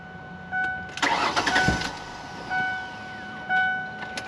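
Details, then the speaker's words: 2001 Ford Explorer crank no-start: about a second of starter whirring that never catches, then door chimes; fuel pump relay swapped with no change, fuel delivery fault suspected, to be checked with carb cleaner in the intake. "Okay, in order to double check that we actually have a fuel issue and it's not some of the other sensors like a crank position sensor or something like that that is causing a no spark or anything like that, I'm just going to pop open the intake here."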